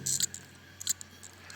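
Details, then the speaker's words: Samsung 3.5-inch desktop hard drive powered up: a few sharp, dry clicks in under two seconds over a faint hum as it tries to start, fails to find its service area and shuts down. The read head is damaged. "E aí nitidamente você houve problema na cabeça de leitura"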